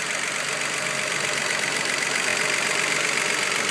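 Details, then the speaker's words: Nissan 3.5L engine at first startup right after timing chain replacement; light fast ticking about three per second over a hissy idle, which the mechanic calls some valve noise; otherwise sounds good and quiet in person. "sounds pretty good there's some I got I barely got you in the video you hear some valve Louis"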